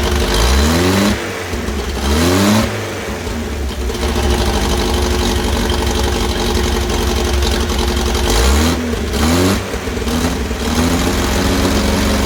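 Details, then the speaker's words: 1964 Bedford CA panel van petrol engine, first start after about 10 years unused, exhaust mostly rotted away: catches and revs up in a few blips, then settles to a rough but steady run; a runner. "um i think you'd say if you say that's a runner yeah so job done how good is that"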